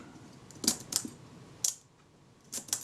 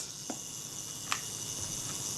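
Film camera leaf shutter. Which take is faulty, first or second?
first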